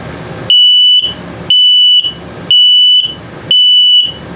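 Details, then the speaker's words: CO/LP detector in a 2022 Sunset Trail 272BH travel trailer, low-battery alarm test: loud, shrill single-tone beep, half a second on and repeating about once a second; this slow same-tone pattern signals a low battery. "If it beeps same tone but very slowly, it's telling you that your battery's low."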